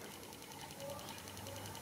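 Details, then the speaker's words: Tesla Chargers 2.5A12-EX pulse charger rejuvenating a deeply drained 12 V starter battery from a 1970s Datsun, resting near 12 V: faint fast, even ticking in a quiet room as the capacitor discharges; normal desulfation pulsing. "you can hear that thing clicking that's how fast the capacitor is discharging"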